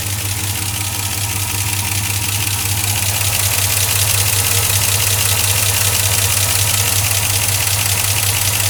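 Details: 2004 Silverado 5.3L V8, 59,000 miles, cold idle after oil change to 5W-30 Mobil 1 with AC Delco filter: loud fast even ticking about two to three per second; possible air leak up top suspected, source unconfirmed.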